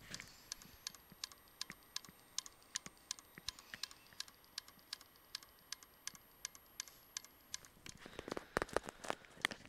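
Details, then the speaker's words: Failing hard drive, hooked up and halting the system, heard close up: sharp, evenly spaced clicks about three a second, the "click of death" from the heads knocking repeatedly. "You can hear that, but that's clicking. And that's what we call the clicker death, because this is basically it's the if you hear that from any hard drive and coming from your laptop tower and hear that dick, that's called a clicker death."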